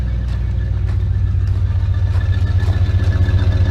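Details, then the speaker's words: 1988 Chevy Custom Deluxe 30 square-body truck at idle: deep, even V8 exhaust burble with steady pulses, no misses or smoke; normal idle. "listen that exhaust that sounds good no smoke"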